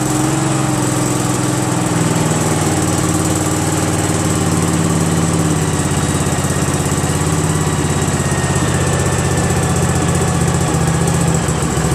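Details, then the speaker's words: Craftsman GT6000 garden tractor repowered with a Briggs & Stratton Vanguard 16HP horizontal-shaft engine, run after swap with the tractor's throttle cable and breather piece fitted; steady, even drone at constant speed, no misses, knocks or hunting, running smooth. "how about that guys man that sounds great doesn't it I'm stoked fantastic"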